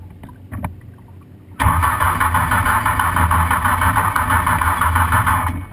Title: Manson Gang Green No Start Vintage